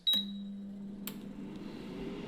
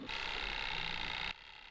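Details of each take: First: Budget air fryer started on the fries preset at 200 °C for 20 minutes: a short beep, then a steady, even low fan hum with no rattle or scraping; normal fan operation. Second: Cheap budget air fryer after half an hour cooking, element had been red hot and smelled of factory: steady high-pitched electrical buzz for about a second then cutting out, repeating on and off; owner thinks it is broken. Intermittent buzzing.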